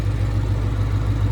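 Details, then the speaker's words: V8 with 84,000 miles, airbag light on, idling at a salvage yard: smooth, even low idle with a steady deep rumble and no knocks or misses. The engine sounds healthy. "Sometimes the check engine light will come back on later, but that sounds healthy."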